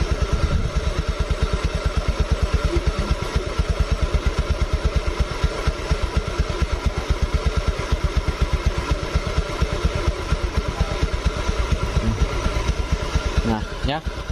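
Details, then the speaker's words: 2017 Honda Beat Eco scooter, arrived dead, idle air screw being adjusted by ear: low single-cylinder thump about two beats a second, slightly uneven in strength during adjustment. "kalau misalkan di bagian dalam sini ini kan tidak terlihat nih berapa putaran-butiran bisa dirasakan aja dari bantingan mesinnya"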